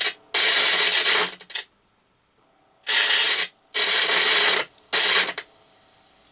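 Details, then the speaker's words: Quadraphonic 8-track player amplifier outputs to speakers, volume knob turned. A pop, then scratchy crackle and hiss cutting in and out; the volume pot needs contact cleaner. Crackling volume potentiometer. "Yes, I heard a pop. That's the volume knob, I think. Oops. And cracky. Yeah, they're obviously going to need some contact [snorts] cleaner in them."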